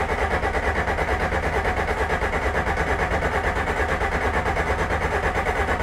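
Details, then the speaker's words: Dry-sump 1973 Toyota Corolla TE27 rally car started in neutral after cranking with ignition cut to build oil pressure: a steady, even pulse at fast idle with no knocks or misses. The engine sounds healthy. "it is a dry sump so you're going to hear me crank it for a little bit i'm going to cut the ignition and it's going to build up oil pressure"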